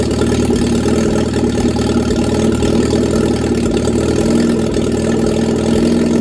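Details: Reliant Regal Supervan 3 engine on the workbench, running after a full rebuild, with choke and a hand on the throttle. Firm, even beat at a raised idle with no knocking or misfire; normal idle and revving.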